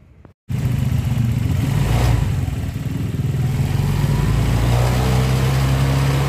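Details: Honda Vario 125 with an intermittent stumble, where plugs were changed, fuel pressure checked normal and scan data looked good: when revved it rises unevenly and stutters. A fuel pump fault is suspected and the pump is being replaced.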